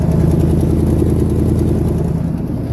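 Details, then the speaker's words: 1977 GMC K15 truck idling: a deep, steady idle with a faint quick puffing tick on top from an exhaust leak. "and turn these on hear that exhaust leak there you go headlight there you can hear that exhaust leak"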